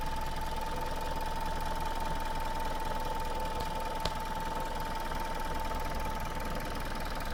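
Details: Suzuki Swift Sport 1.6 petrol, built 11/2014, 25,000 km, warm idle: steady, slightly lumpy but even, constant faint whistle on top, no knocking; normal engine, same as other Swift Sports, light gearbox noise normal.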